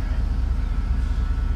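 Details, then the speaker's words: Heavy low rumble on a 1987 Grumman ice cream truck engine at idle, with a fast, steady pounding about twelve times a second; top- and bottom-end knocking throughout the engine. "it's just got you got top and bottom ends knocking everywhere no way that's terrible"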